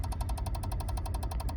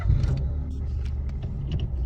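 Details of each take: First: Peugeot 107 / Citroën C1, faulty electric power steering unit: rapid, even ticking at about eleven a second over a low engine idle, with no power assist and the red power steering light on. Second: Peugeot 107 / Citroën C1 after replacing faulty power steering ECU: ignition on with no more ticking from the unit, engine starts into smooth even low rumble, no warning light or chime; clean healthy start, apparently no calibration needed.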